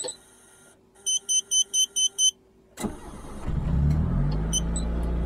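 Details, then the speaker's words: Mitsubishi Lancer engine started cold: six short beeps, then it catches and settles into a raised, slightly hunting warm-up idle. Normal cold fast idle, with rpm still changing until the engine reaches operating temperature. "kalau kita setting pada saat mesin ini dalam keadaan dingin Hai ah hasilnya tidak akan presisi karena mesin warming-up RPM sekian"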